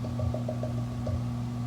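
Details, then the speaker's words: SanDisk G-Drive 6TB external hard drive plugged into a MacBook via USB-C; low steady hum with a quick run of soft ticks, about six a second, as it spins up; normal hard drive spin-up. "we're going to fire this puppy up and immediately you see a little g drive logo turn on and you hear it's"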